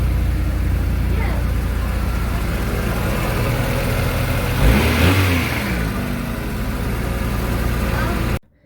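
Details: Automatic Honda Integra DC4 that sat 10 years, first fire after a replacement distributor: cranks, catches with a brief rev, then settles into a steady, even idle; normal start and idle.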